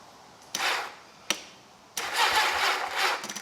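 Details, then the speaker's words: Old motorcycle (XJ650/CBX750 project), battery hooked on only with jumper leads: two short starter bursts, then a longer steady crank; the starter works again, and the slightly sluggish cranking is blamed on the weak battery. "Oh, yes. Beautiful. That battery is weak because it's only hooked on with jumper leads, I reckon."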